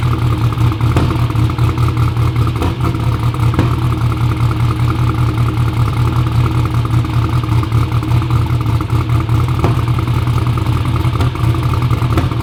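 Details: "Black Sheep" V8 at first fire-up runs a loud lumpy idle broken by irregular sharp pops and stumbles; two spark plug wires on backwards made it miss, pop and backfire throughout.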